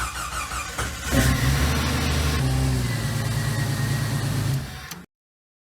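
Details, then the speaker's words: Jeep Wrangler YJ after hi-steer install, about a quart of power steering fluid added, wheels cycled, around 6 degrees outside. Cranks, catches and settles to a steady low idle with no pump whine; the steering pump sounds healthy. "wasn't whining, but I just want to see if that sucked the reservoir down."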